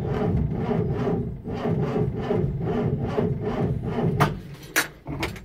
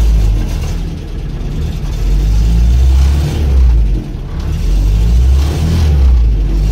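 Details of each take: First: Land Rover Series IIa with mechanical fuel pump, on a very cold day after rewiring/ignition checks; steady cranking ~2 pulses a second drags on without catching – slow to start, owner blames the cold. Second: Land Rover Series IIa with a mechanical fuel pump, next day after wiring repairs: low steady rumble with a couple of gentle rev swells, then it catches and holds idle without faltering. A definite improvement.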